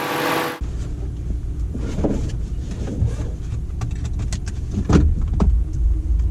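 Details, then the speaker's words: Rebuilt salvage 2014 Ram 2500 with 5.7 Hemi, about 90% disassembled and reassembled, driving on road: steady road and engine rumble, only occasional cabin ticks, shifts well; no squeaks or rattles. "it drives well it shifts well and it does everything that i expected to considering 90 of the truck has been disassembled and reassembled and there's no squeaks or rattles or anything i will consider it a win"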